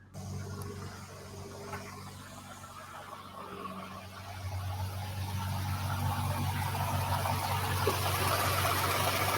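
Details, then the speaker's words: Nissan GTR R35 on test drive, no dash lights or codes: steady rapid rattle over engine hum, louder as revs rise; bellhousing suspected, not confirmed. "That might be his bell housing. That's bellhousing. an expensive problem that the dealer didn't tell me cuz it wasn't as bad when I first bought it."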